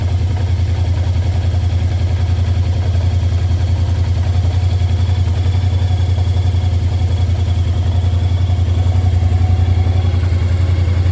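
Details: 2022 Kymco AK550 with an about two-year-old battery that had gone flat, running while it charges: deep, even low thump at a steady idle of about three and a half beats a second, no misses or knocks; a healthy idle.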